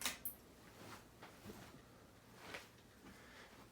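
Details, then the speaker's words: Harbor Breeze Armitage 42-inch ceiling fan fitted with a different globe, on low speed: very faint even hush of air with a few soft ticks and no hum; quiet, soft-sounding, healthy fan. "it's a nice soft fan it is definitely a soft fan it's like definitely still soft sounding even though it's how balance it's soft sounding is especially on low"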